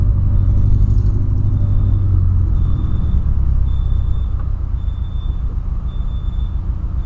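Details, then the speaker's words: VW Polo that began running badly after refueling; the owner suspects a spark plug, coil or clogged injectors. Rough, lumpy rumble with an uneven stumbling beat that falters when revved: the engine is misfiring, cause still unknown. "olha que acelera e começa a falhar daquelas falha a dona monstro tá trabalhando muito mano muito mas muito mesmo"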